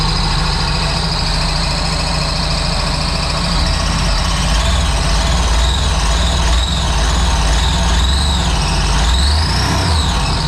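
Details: Supercharged 2009 Sea-Doo GTX 215 jet ski bought with a locked-up motor, run on the hose after revival: uneven stumbling beat with a high squeal over it. Cylinder 3 misfire from a cracked ignition coil.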